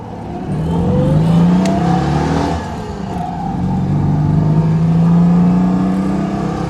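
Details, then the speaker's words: Citroën 2CV on the road with the roof off: the small twin pulls cleanly, its buzzing note rising and easing with throttle, no knocks or misses; the rattling is probably just the windows. Normal running engine. "So all sounds fine so far. Lovely to have the roof off. Oh, I've missed this. May not have missed the noise levels quite so much. Rattling is just the windows, I think."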